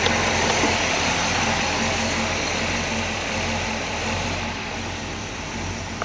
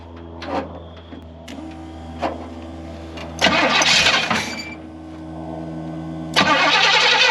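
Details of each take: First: 1968 Pontiac Grand Prix big-block V8, revived after an estimated 15–20 years sitting: quiet, smooth, even idle with no knocks or ticks, great oil pressure. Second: Rough, lumpy V8 idle with stumbles between throttle blips on a 1968 Pontiac Grand Prix big block, first start after 15–20 years off the road; misfire traced to two plug wires swapped out of firing order.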